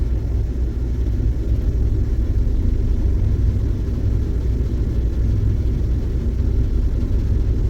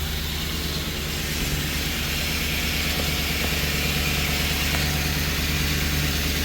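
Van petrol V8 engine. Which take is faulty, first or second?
first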